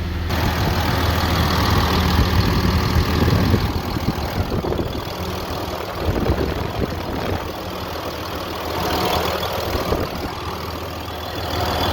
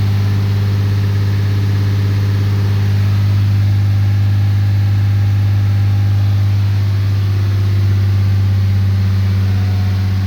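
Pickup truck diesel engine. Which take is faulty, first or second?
first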